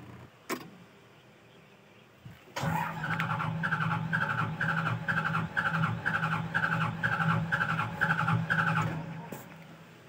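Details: Hitachi Zaxis 200 excavator reported low power, hot engine: starter cranks about two compressions a second for six seconds but diesel never catches; mechanic suspects throttle problem, not confirmed.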